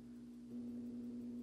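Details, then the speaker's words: Fire alarm panel charger, after load-testing 12 V 7 Ah and 8 Ah backup batteries and reconnecting them: half a second in, a steady low electrical hum switches on and holds even; charger working normally. "so just if the batteries back up I can immediately hear the charger trying to go"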